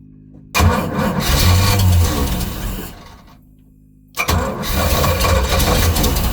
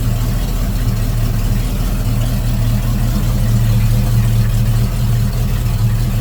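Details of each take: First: Volvo Penta 454 marine engine after swapping in an HEI distributor: labored, uneven cranking that stalls and restarts without running cleanly, because the ignition timing was advanced too far. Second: Volvo Penta 454ci V8 marine engine after swapping to an HEI distributor and reducing excessive advance: deep, steady burble at idle with an even low rumble and no misses or backfires; timing sounds right.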